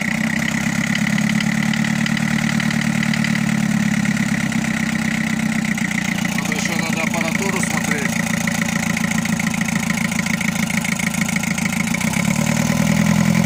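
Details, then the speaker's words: Mitsubishi Canter 4DR7 diesel, first start after full rebuild, warming up: steady clatter with slight unevenness, runs a bit rough and harsh; owner suspects injectors or timing needing retarding, unconfirmed. "все, вот я двигатель завел, работает, но маленечко подтраивает."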